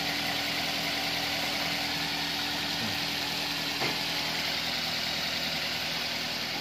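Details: Toyota Avanza that stalled while driving and had alternator noise and no charging, after alternator diode replacement: engine revs up cleanly, steady and even, no whining from the alternator; sounds healthy.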